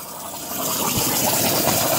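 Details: Buried copper water supply pipe with three small pinholes, blamed on electrolysis, tap turned back on at the meter to confirm the leak: steady forceful hiss of water spraying under full mains pressure; repaired by cutting out the section and fitting compression fittings.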